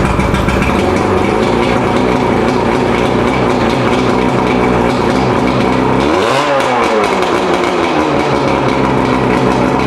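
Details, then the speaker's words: Mercury 115 two-stroke outboard after rebuild (severely worn piston fixed, combined with second engine) idling steady and smooth with no hammering or rattle; ran about half an hour, healthy. "So all in all, we ran the engine about a half hour. Seemed like it's doing just fine."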